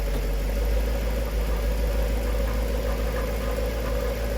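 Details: Jaguar XK8 at idle in garage after transmission service with Transgo pressure regulator valve upgrade and proper ATF; loud coarse, uneven rattle over the drone, burning smell in reverse, rattle not fixed; cause suspected transmission, unconfirmed.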